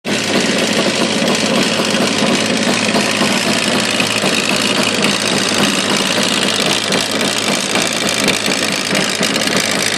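Busy, rattly two-stroke running with a sharp metallic knocking mixed through the exhaust note; there's a knock in the engine, cause unknown.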